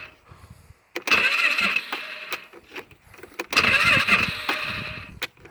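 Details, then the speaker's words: Polaris Sportsman 500 quad, 12,000 km, troubles since being rolled: starter whirs in short bursts, bogs and stops at compression, not turning over fully; battery light flickered, owner suspects weak battery or possibly starter. "She's not even turning over fully. She just goes until it hits compression and stalls or stops."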